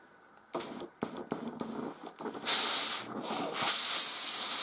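A few short spits, then strong sustained hissing bursts of steam; boiler is up to pressure and delivering properly.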